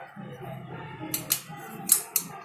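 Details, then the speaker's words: Bajaj Discover ST motorcycle with engine off: the silencer is shaken and gives sharp metallic rattles, about four raps in two seconds. The cause is a loose silencer mounting (foundation); an earlier mechanic blamed piston, timing chain and rocker. "तो मैं आपको ये video live दिखाऊंगा, और ये आवाज़, और मुझे पता है ये 100% फाउंडेशन का ही आवाज़ है।"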